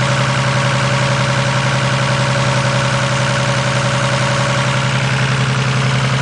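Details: 1987 Toyota Supra Turbo with new platinum plugs fitted (old ones were fouled) and fresh high-octane fuel. Loud idle with a rhythmic lope and uneven thumps in the exhaust beat: misfire at idle.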